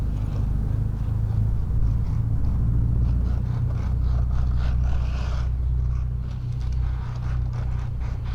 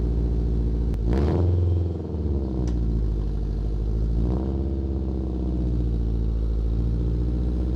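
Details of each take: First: Honda Integra exhaust at idle after repair: exhaust flex pipe hole fixed by welding and front pipe to header refitted; steady deep low rumble, no puffing, ticking or hissing, sounds way better than before; normal exhaust note. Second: Honda Integra (FWD) exhaust at idle with throttle blips: loud, raspy open-header roar and low chuffing rumble from a huge hole in the bottom of the exhaust flex pipe, before replacing it; exhaust leak.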